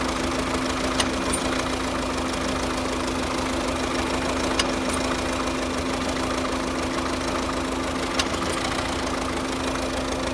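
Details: 2009 Volvo S40 1.6 diesel idling with a steady drone and an odd, uneven occasional tick; misfire and weird engine noise at idle, cause never found.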